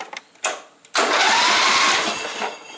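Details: John Deere Sabre lawn mower after new ignition switch fitted and battery put in: steady, strong starter whir spins the engine about two seconds with no clicking or dragging; normal cranking.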